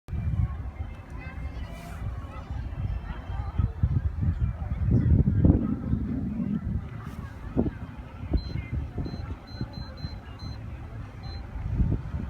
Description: Lowrance hook 4x keeps beeping if I turn fish id off.